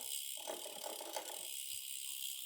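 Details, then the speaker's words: A faint fast rattling grind is heard when shifting onto the biggest rear cogs. The upper jockey wheel is contacting the cassette, because the derailleur's B-tension sets it too close. "what you'll encounter is you hear this kind of rubbing and grinding noise and if you look down at your rear derailer you can see that the upper jockey wheel is actually contacting"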